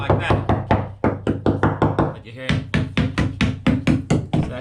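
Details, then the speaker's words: 45ft production catamaran bulkhead repair, hammer tapping fiberglass tabbing that looks fine to the eye: dull, hollow, bouncing taps with no solid ring, about one a second; tabbing delaminated, not attached to the deck. "when you get the old hammer give it a tap you can hear that it's bouncing and it's not attached to the uh the deck"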